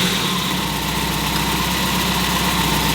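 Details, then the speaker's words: Mazda Miata during 30K-mile service with new spark plugs and ignition wires, started up while warming: small four-cylinder settles into an even, steady idle with no misses, stumbles or ticking; runs with no issues. "running with no issues now we're going to check the scumbles on the low end and see if it's improved let the car warm up for a second"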